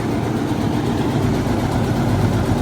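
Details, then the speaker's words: Caterpillar 320C excavator diesel idling just after restart following oil cooler reseal and fuel injection pump removal and refit; steady, even low rumble with no misses or knocks, purring; normal idle. "I felt like it was gonna crank with the 3 that were already primed, and it did. It fired right up."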